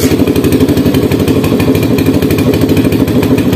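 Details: Single-cylinder motorcycle engine running on an emergency-fixed fouled spark plug whose ceramic was broken with a screwdriver settles into an even, steady idle with regular firing pulses; the engine is back to life and running normally.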